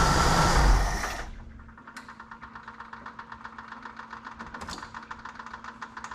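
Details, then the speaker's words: 1988 Jeep Wrangler YJ Sahara 4.2 inline-six after idle tuning to about 19 inHg vacuum, warm engine shut off and restarted: short loud crank, catches at once, settles into even, steady idle; clean hot start. "but I mean here's why I don't want to dig in into this hard she's running pretty darn nice let's try the old shut off hot"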